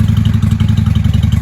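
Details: 1995 Honda Shadow 600 VLX VT600CD V-twin, running after fuel leak work with pinhole still to fix, in shop: loud deep lumpy thump at quick even beat through open pipes, firing cleanly; "sounds good for a little 600," normal running.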